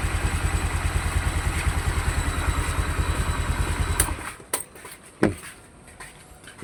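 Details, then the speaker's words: Honda Vario 150 scooter with recently replaced RVN Pro piston, before connecting rod replacement: even, steady idle thump with no tapping or knock before switch-off; piston sounds fine, normal idle. "untuk piston kayaknya masih aman suaranya ya."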